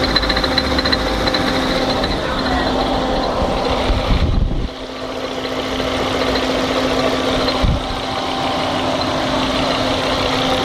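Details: 1998 Fiat Marea engine at idle: uneven tapping about three or four per second over the engine drone; abnormal engine noise of unclear origin.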